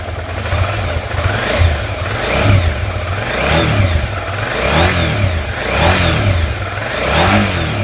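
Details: 2003 Suzuki SV650S twin, first start after 5 years laid up (tank treated, new oil, plugs, coolant, battery), revving up and down with a loose clattery knock at idle and on throttle; cause unclear, owner asks if normal.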